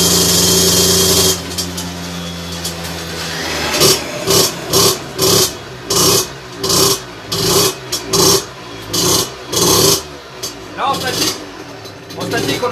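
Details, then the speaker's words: Two-stroke moped with 17.5 mm carburetor on test bench, needle deliberately set far too rich; about a dozen throttle blips that burble and stumble instead of snapping up, though it pulls at heavy throttle; running rich. "donc là je n'ai mis volontairement beaucoup trop riches je vais leur montée sur la machine sur le banc et je te montre ce qui se passe tu vas voir que c'est pas terrible"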